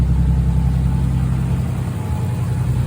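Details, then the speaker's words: Engine after a cylinder-five misfire was traced to a bad fuel injector connection and a new connector spliced in (cylinder five compression 190 psi; earlier sounded like metal-on-metal grinding): a steady, even low rumble with no misfires, ticks or grinding; normal idle. "Lazarus has now parked where Tyler Z was parked because Tyler Z is good to go. She sounds mint. Sounds mint as heck, dude. No weird noises, no misfires."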